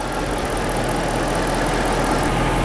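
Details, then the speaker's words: Freshly rebuilt Chrysler 5.7 Hemi V8 in a Chrysler 300, warmed up after a drive, idling smoothly with steady low rumble; earlier heavy lifter tick has gone, no issues. "Now this thing is purring away just like a Hemi should. No issues."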